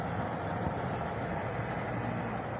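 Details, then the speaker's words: Toyota Vios gen 2, loud hum at 40–60 kph; steady low droning rumble from a spinning front wheel, the hum of a badly worn wheel bearing, traced to the left side, not the right as the owner reported. "Kaliwa yan. Kaliwa idol kasi wala sa kanan."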